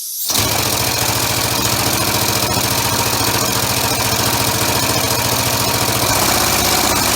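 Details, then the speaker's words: Homemade 3-cylinder orbital compressed-air engine with single-shaft push-pull valve, mounted on a hollow workbench: fast steady chuffing and rattling clatter, loud and hollow; runs evenly, noise amplified by the bench. "there's a lot of noise because I've got it mounted to my workbench which is hollow so any noise that you hear is going to be multiplied just like a loud speaker"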